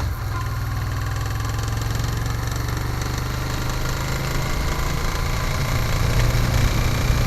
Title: Africa Twin, Knocking Sound